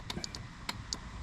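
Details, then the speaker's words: Lesco Viper 54" zero-turn mower with a replacement engine: quick light metallic clicks as the loose harness wire touches the anti-backfire fuel solenoid terminal. The solenoid is snapping in and allows fuel flow. Normal solenoid click. "can hear it clicking. So we need that to run."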